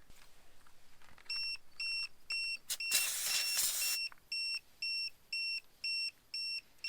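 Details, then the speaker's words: RV tire pressure monitor display after the sensor batteries were replaced and the sensors re-linked. Steady high double-tone beeps about twice a second: the tire pressure loss alarm. "now you can hear the alarm going off so that's what happens when you're driving down the road and all of a sudden you lose tire pressure"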